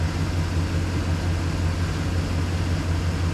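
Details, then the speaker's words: Chevy Express van V8 after exhaust manifold replacement, now started after a key no-start, smoking as oil burns off: deep, steady idle, much quieter, with no ticking or exhaust puffing; healthy and sealed. "Hear how much quieter it is?"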